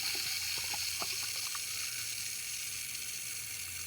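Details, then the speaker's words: Sprinkler valve being slowly re-pressurized after a no-glue quick fix: a steady hiss of water rushing through. Leaking is normal until it reaches at least 15 psi and shuts off. Normal initial flow while the valve pressurizes. "is the valve starting to come on that's normal for it to leak when you first turn it on because it has to hit at least 15 psi in order to be able to shut off"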